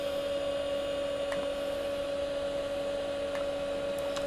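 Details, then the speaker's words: Commodore Amiga A4000/040 from 1992 with its old hard drives, annual test run: steady even electrical hum with faint drive whine, no clicks or scraping; old drives spinning normally. "as I said I'm amazed at the long longevity of the hard drives in this thing I think they were really made a lot better back then"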